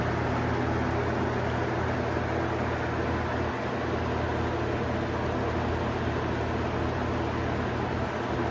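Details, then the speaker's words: 1991 Robeson 20-inch box fan on medium, sitting on a dryer: rushing airflow over a low droning hum with vibration from the riveted guard and motor brace, the fan bouncing from an unbalanced blade. "see the fan bounce up and down due to a little bit of a balancing problem with the blade."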